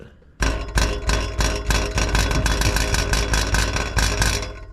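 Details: Subaru: buzzing metallic rattle pulsing over a hard-pulling engine during acceleration, from a loose exhaust heat shield; fixed by wrapping with fiberglass heat shield tape secured with stainless steel ties.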